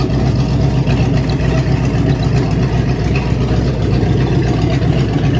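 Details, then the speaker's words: 1967 Mustang V8 with mild cam, fired up after a month sitting, new cooling system and hoses fitted, before coolant added: deep steady burble holding an even rhythm, no tapping or stumbling; healthy engine. "can't hardly beat that, fellas. That's a really good little engine."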